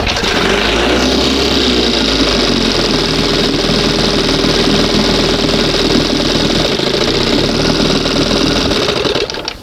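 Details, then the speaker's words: 1971 Johnson 20 hp two-stroke outboard, after flooding and reset, throttle barely open before first mark: runs steady and strong without stumbling, then cuts off; owner says it needs opening a hair; idle speed setting. "Sounds nice. Oh man, sounds nice. So, I just need to open it up a hair."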